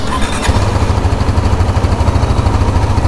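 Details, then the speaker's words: 2023 KTM Duke 390 BS6 after chain tensioner fix for engine noise: steady low thumping idle, even beat, no ticking or chain slap; normal idle after repair. "कोई आवाज नहीं ए रही ऐसी तो कोई आवाज नहीं है"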